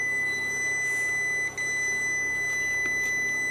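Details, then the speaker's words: Hybrid inverter power-up after replacing the degraded original power-supply transistor with an identical new one, PWM controller at 17.3 V: steady high-pitched beep with no other noise, error 01 because cooling fans aren't connected. "Ну, це від того, що не під'єднані вентилятори."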